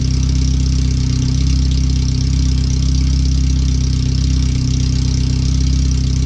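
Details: First startup after a header replacement, new fuel filter and relocated O2 sensors with a wideband bung; running on the open header with the rest of the exhaust off. Very loud, raspy idle with a quick even pulse and no muffling. The computer reads 5–7% rich.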